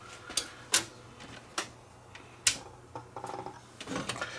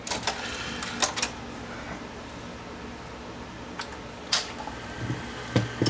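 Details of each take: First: Sony VO-5800 3/4-inch U-matic VTR, tape inserted at power-up: scattered clicks and short whirr but tape never loads or drops; elevator not operating, switch or elevator suspected, loading belt slipping. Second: Sony VO5800 3/4-inch U-matic VTR with a tape-loading fault, elevator plugged back in, tape inserted: soft whirring with scattered clicks and clunks as the cassette lifts and threads smoothly; normal tape loading.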